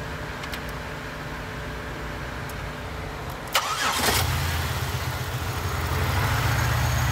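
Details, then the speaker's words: 2006 Pontiac Grand Prix base model after top swap; broken spark plug replaced and all six now NGK TR55 iridium. Short crank, engine fires promptly and revs cleanly with a smooth steady hum. Normal start and rev, sounding much better. "Give her a rev. There it goes. That sounded a lot better."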